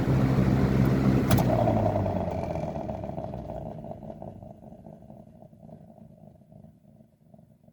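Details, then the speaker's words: Lasko 3723 box fan (1995–96 model) on first test: as it coasts down after switching off, a rhythmic hum pulses and fades with the slowing blades; gummy or dry bearings suspected, cause unclear. "Has this interesting sound to it when it um when it slows down. So I don't know if the bearings are a bit gummy."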